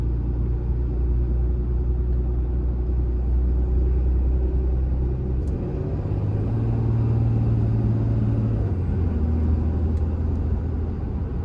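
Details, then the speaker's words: 2016 Ram 2500 diesel on a test drive under throttle after a new Fleece Cheetah turbo replaced the OEM turbo with a failing actuator; the rumble swells and rises in pitch with a faint turbo whistle; feels stronger, oil pressure and coolant temp fine; normal spool. "all right guys here's going to be some throttle for you maybe you can hear the turbo whistle and all that just giving it a little test drive"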